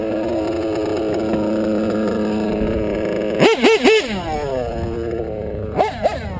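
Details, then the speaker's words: Race-tuned RCR-modded REDS R5R .21 nitro engine: raised, steady buzzing idle with two throttle blips; the idle rises as the fuel tank runs low. "you'll hear that the idol you hear the idol go up the idle will raise when they start to get low so you kind of want to keep it at like half tank maybe a quarter tank"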